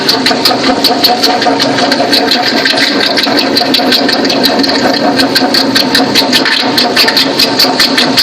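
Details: Toyota Sequoia 4.7 V8 at idle: steady fast ticking chirp with a high whir at the front of the engine. It is a worn "fan bracket" idler pulley bearing that looks like a water pump; the water pump is timing-belt driven.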